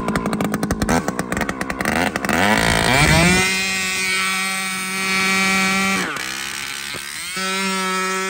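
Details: Chainsaw with aftermarket muffler, outer adjustment screw opened about a quarter turn: a few pulls, then it snaps up to a clean, steady high scream held wide open and drops back evenly; running well.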